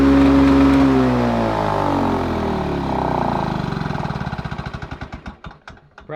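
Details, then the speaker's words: Lawn Boy two-stroke mower with the setting wide open: high, steady scream, then it slows and dies away in uneven pulses. Owner wonders if it is running a bit too fast; engine overspeed. "it's running a bit too fast now I wonder I do wonder if that's running a bit too fast now it might be"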